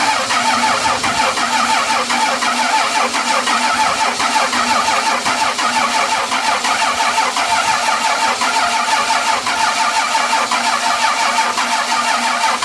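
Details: 12-valve Cummins diesel after nine years sitting, fuel shutoff valve pushed up by hand: catches and settles into a steady rough clatter, running on its own; runs good, injection pump seems a little sticky.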